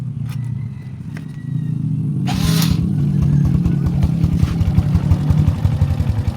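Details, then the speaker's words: Honda Revo Absolute after replacing the cam chain (keteng) and tensioner roller: small single revs up then settles into a steady, even low putter with no rattle or chain slap; engine healthy. "Oke, sepeda motornya udah hidup, udah mantap."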